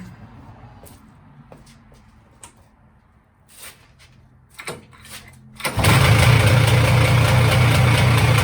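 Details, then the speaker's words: 1999 Polaris Xplorer 400 ATV after replacing pull start recoil: a few quiet pulls, then it catches and settles into steady even low idle with no misses; starts and runs fine. "All right, I'd say that's a success."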